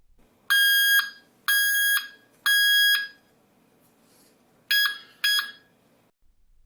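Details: Treadmill console buzzer at full volume: five sharp, high-pitched beeps, each about half a second, unevenly spaced in a quiet room; normal beeping after a volume control was added.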